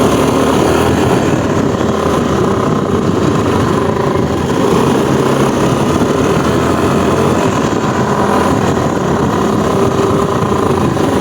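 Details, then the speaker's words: Yamaha Aerox/NMAX 155 scooter at about 20–40 kph: steady rough grinding rasp under the engine note, confirmed not the torque drive bearing but a worn crankcase bearing. "O yung bearing ng crank casase. Ayun oh. Ayun oh no. bearing. Hindi yung torque drive bearing. Bearing ng crank case."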